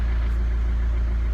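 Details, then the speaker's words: PT Cruiser CRD diesel just after alternator and serpentine belt replacement (the off-center alternator pulley had wobbled and sheared the belts): a steady, even low rumble at idle with no knocks, squeal or misses; normal idle. "I say you've never even no idea how happy I am to hear the noise of this get on starting again"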